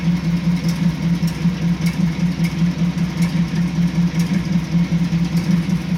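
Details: 1986 Chevrolet C10 at idle: low idle that swells and dips in a slow uneven pulse just under once a second; sounds like an intermittent misfire, cause unknown.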